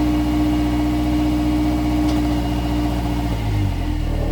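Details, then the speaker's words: 2016 Subaru Outback four-cylinder, about 80,000 miles, warmed up, low idle in drive/reverse, phone under car: loose uneven metallic buzz from rear driver-side muffler; likely a failed baffle spot weld inside muffler rattling. Internal muffler baffle rattle. "the noise is coming from the muffler from inside so apparently I found out that There's issues with that because between the process of heating and cooling a spot weld within or on a baffle inside the muffler could fail causing this vibration"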